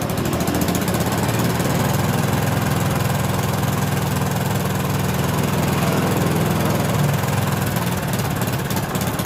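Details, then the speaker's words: 2011 Yamaha Jupiter MX, carbureted, losing power when riding and climbing, stator-to-CDI wire reconnected for testing and revved: a buzzy, slightly uneven beat of about three pulses a second that won't pick up; ignition misfire from weak stator output. "Apakah si dianya yang lemah seperti ini teman-teman ya yo yo coba gas ya teman-teman perhatikan yang teman-teman seperti ini nah seperti ini tuh ya teman-teman ya Nah di sini kayak kehilangan tenaga kita teman-teman"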